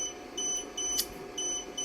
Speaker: you will get this notification there the camera short-circuit and what I did there I connected the two wires power and ground together to give me that notification